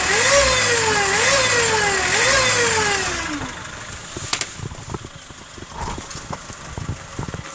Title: Mazda6 weird engine sound